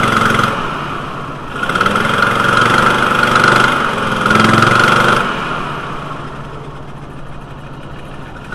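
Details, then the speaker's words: VW T4 2.5L, intermittent rough running when cold, smelling rich with power loss: revs rise and fall unevenly, then shaky idle; broken intake valve spring on cylinder one holding valve open. "cylinder one intake valve broken spring pause valve flow ruff running"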